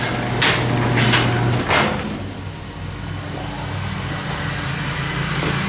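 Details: Garage door opener opened via keypad code: a few sharp keypad clicks, then steady low motor hum as the door lifts, even, no grinding or binding; normal operation.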